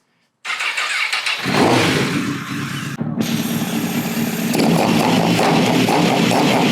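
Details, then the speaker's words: Crashed 2006 Honda CBR1000RR with 22,995 mi and a rusty tank, before coolant was added and before a hydrocarbon test: starter whir, engine catches, briefly drops out, then runs steady and crisp with revving. Owner is amazed it runs. "I can almost not believe it right now. That's insane. It actually runs."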